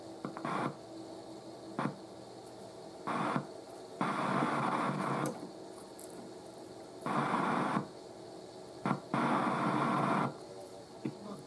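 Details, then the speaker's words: Rare Crosley model 58 Buddy Boy radio, first power-up with an antenna hooked on: hiss and static cut in and out in bursts with no station holding; it gets a few stations but reception is poor. "so it gets a few stations it's not good"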